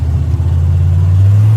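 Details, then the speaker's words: 1997 GM 6.5 diesel truck at full throttle: deep drone stays flat with little power, then about a second later the pitch jumps as it suddenly pulls; owner suspects injection pump or PMD, unconfirmed. "so full throttle right here not a whole lot of power full throttle then all of a sudden bam then it comes right into it"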